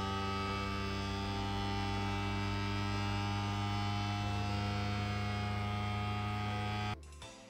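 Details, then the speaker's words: Creality Ender 3 V3 3D printer running its self-calibration: a loud, steady droning hum with a low buzz held at the same pitch for about seven seconds, then cut off. This is normal calibration vibration. "now this did worry me me originally because obviously that noise is it's quite loud uh it is meant to do that so you know don't panic it does sound like it's about to take off it's completely fine that is just it calibrating itself"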